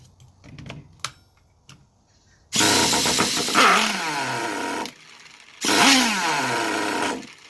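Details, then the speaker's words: Traxxas T-Maxx 2.5 RC nitro engine, glow plug heater on, being revived: buzzy engine fires, revs briefly, pitch sags and dies, twice; won't hold idle, owner suspects the idle setting. "Alright, so obviously we've got some kind of setting that's off, and it could be the actual idle. So I'm going to just adjust the idle real quick, just to kind of just bump it up."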